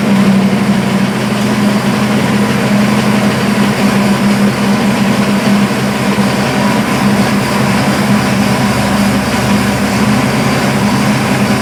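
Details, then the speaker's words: Buick, after a fire, after refitting valve covers with gaskets and topping off oil: steady idle, even low rumble, no ticking or knocking; earlier knock believed to be loose valve cover hitting a rocker. "okay folks that sounds better I think it was the loose valve cover it was hitting a rocker"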